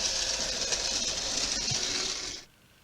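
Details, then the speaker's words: Graham Farrell 'Sketty Hall' model locomotive running on a rolling road: small motor whir with an intermittent high chirping squeak near the front. Isolated by lubrication to dry armature bearings. "So you can hear that chirping quite clearly, and I definitely get the impression that it's near the front of the locomotive, which is good, because what I'm going to do is I'm going to lubricate just a small part at a time and to see if I can eliminate it by, I don't know, try again."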